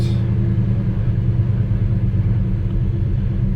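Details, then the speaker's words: 1985 NZ-new Chevy Square Body Custom Deluxe V8, formerly LPG, off the road for years, first start on jump leads, not yet warm: heavy, choppy, inconsistent low-rpm throb; runs rough at lower revs before catching and taking over. "see it runs rough runs rough at lower revs oh there we go she's taking over"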